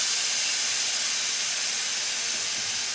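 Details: Handy SAM 1200 motorcycle lift, air-bag type: about three seconds of steady high hiss as air vents from the bags on lowering and the lift settles onto its locks; normal operation.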